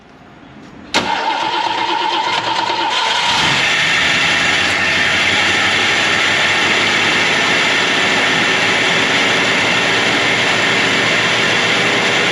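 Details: Carbureted Ford Mustang muscle car, sitting since 1993, after flushing bad gas and sediment from the fuel line (inline filter at carburetor): cranks briefly, fires cleanly in about one second, settles to a steady, even idle with no stumble; normal start and idle.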